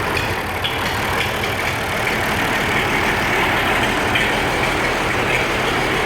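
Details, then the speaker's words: Old Oliver 1550 diesel tractor, cold day, in neutral, after injector rebuild and valve adjustment: loping, uneven idle under steady clatter; number one energy cell not warming like number six, number one injector suspected still faulty, one cylinder dropping out. "getting warmth already on number six not a whole lot on number one yet makes me wonder if that number one injector is still at at staying hold"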